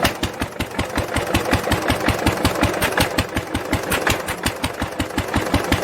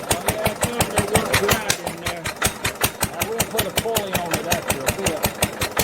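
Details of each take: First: 1946 International LBBR McCormick-Deering 3-5 hp hopper-cooled engine after fitting a homemade glasspack muffler, recorded from about the same distance: steady single-cylinder beat around 160 per minute, crisp even firing with softened exhaust bark; running normally. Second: 1946 International LBBR McCormick-Deering 3-5 hp hopper-cooled single-cylinder engine off a hay press, with its existing muffler: sharp, barking exhaust cracks about 160 a minute, fairly even, with a rasping edge; harsh exhaust note.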